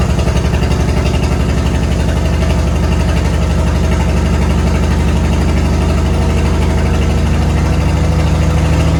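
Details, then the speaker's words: 1972 Chevy C10 being revived, after fixing a fuel hose: steady, even idle with a firm low exhaust beat and no misses or rattles; running much better. "Better, don't it? That's a lot better."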